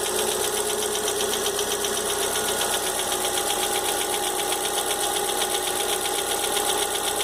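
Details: Fox idling with engine noise the owner can't identify. A fast, fairly even ticking knock of roughly two to three per second sits over a bright hiss. Knocking noise, cause unknown.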